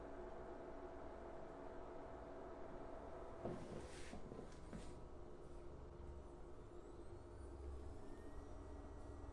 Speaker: but for the past two days i noticed the high pitch noise coming from the projector which is very annoying and very destructive so i will show you what the noise sounds like